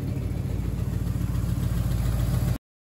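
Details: Rebuilt Oldsmobile 350 V8 in a 1971 Cutlass, delivered and running as a clean driving classic; deep, steady, even V8 burble at idle with no knocks or misses, idling healthy.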